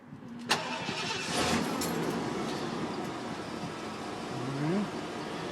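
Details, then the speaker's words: 1989 Ford F-350 brush truck started cold; one quick crank, catches immediately, no significant fast idle, settles into a smooth, quiet, steady idle without misses or knocks. Normal cold start and idle. "and you're hearing her run for the first time there for so she'll run up do doesn't have a real significant fast idle it just nice smooth quiet purr"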